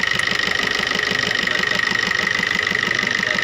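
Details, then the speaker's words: Maruti new Swift diesel: hard, regular knock about three times a second, with white smoke when revved. Cause is a faulty number 1 injector whose return flow is about double the others. The injector is to be removed for service. "Race करने से इसमें से white smoke आ रहा है। और इसका कड़कड़ाने का जो आवाज़ है वो साफ सुन सकते हैं किस तरह से कड़कड़ाहट की आवाज़ है।"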